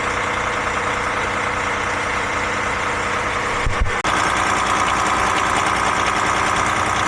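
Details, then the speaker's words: DAF MX-13 530, model year 2017, revs locked at 1000 rpm during high-pressure unit pump test on pump 2, customer complaint of ticking: rough, uneven metallic clatter like a bag of nails; camshaft follower or unit pump suspected. "Well, that sounded like a bag of nails."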